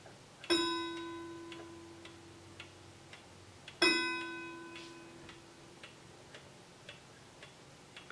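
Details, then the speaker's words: Howard Miller 61318 mechanical clock with key-wound Westminster-chime Kieninger movement: two chime strikes over a steady tick, each ringing with a muddied doubled tone because two chime rods are touching each other. "here let's see if I can oh there's the issue right there there it is take a look we've got two that are two chimes that are touching each other"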